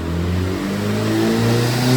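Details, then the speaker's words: Forged Toyota Starlet with SSA Performance TD04 turbo manifold kit and boost pipes, on dyno rollers at full 1 bar boost after boost leak (loose clamp) fixed, about 226 bhp: engine note climbs smoothly and strongly, no hiss or stumble. "That sounds insane. That sounds nice. That's sick."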